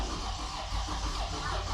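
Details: Toyota Avalon with hard starting: steady starter cranking with no firing and no fuel pump hum; fuel pressure gauge shows no pressure when cranking; crank no start.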